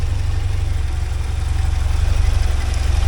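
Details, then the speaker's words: 1979 Porsche 924 after resetting the timing that had been one gear off: deep, even low idle pulsing about four times a second, and the earlier clicking has stopped; back to running normally. "Yeah, we're back to running normal now, again. Boy, oh boy."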